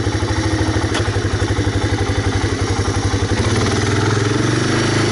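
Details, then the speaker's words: 1985 Honda Big Red ATC250ES three-wheeler, warmed up, choke off, after cleaning clogged carburetor jet: small single-cylinder engine putters at a steady, even idle with no stumbling, misses or stalling; previous stall-at-idle problem fixed. "So choke is off, it's idling away. Gotta love that."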